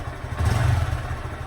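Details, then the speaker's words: Brand-new 2019 Honda Grom after a throttle cable adjustment, with no binding at full steering lock. A quick blip revs up cleanly and settles straight back, with crisp response and no free play in the throttle. "right there I just as soon as I crack that thing in here no no play in the process I love it"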